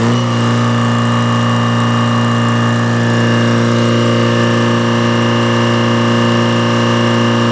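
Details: Detroit diesel that sat a long time, fuel air bled, just started and warming: steady, deep, even throb with no misses or knocks; oil pressure up, charging a little, no smoke, belts loose; normal idle.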